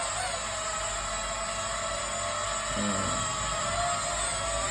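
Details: Small M mini toy drone in flight: steady, even high-pitched whir from the small motors with no surging or rattling; normal motor hum.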